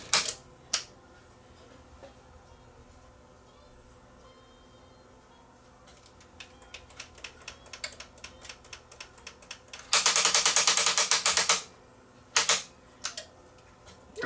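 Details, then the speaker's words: Sony EDV-7300 ED Betamax with a faulty front loader: scattered clicks build into a loud, rapid ratcheting grind for about two seconds as the mechanism tries to engage the pinch roller, which is sticking. The loading motor is to be inspected. "don't like that sound. That's That's a bad sound. That's trying to engage the the pinch roller, but it's not. It's sticking."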